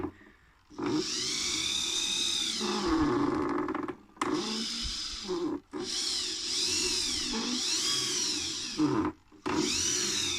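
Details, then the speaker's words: InMoov robot torso, freshly regreased with ball bearings, driven by servos via MyRobotLab: drawn-out creaks and groans bending in pitch with each torso sweep, pausing when motion stops; plastic parts rubbing, cause not confirmed. "working nicely just that creaking noises a bit definitely working just our little annoying how much is creaking"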